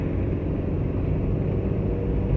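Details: Maruti Suzuki Eeco 2011 van on CNG, driving in fourth gear above 60 after third: steady low road rumble with no knock, rattle or rear silencer blow; runs quiet and even, rear silencer noise not appearing here.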